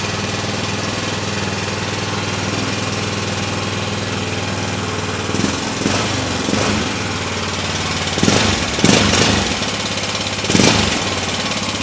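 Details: 2003 Honda Rincon 650 ATV jump-started with the airbox disconnected: steady single-cylinder idle with quick light metallic tap-tap ticking growing louder, a few louder blips. Valves or timing chain suspected.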